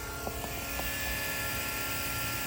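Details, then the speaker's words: 5.9 Cummins truck after fuel filter change, key bumped on to refill canister: steady high electric hum of lift pump with even pitch and a few light clicks; normal priming. "And you might have to do this twice, but fuel pump keeps running. It's filling that canister up so you can start the truck again."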